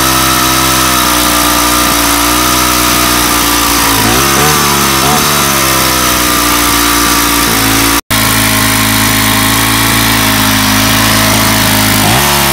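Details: Weathered 29cc four-stroke Craftsman Speed Start curved-shaft trimmer, run after checking the oil level, suspected oil leak: fast, high-pitched buzz where it should idle, with only brief dips in pitch; idle speed set far too high.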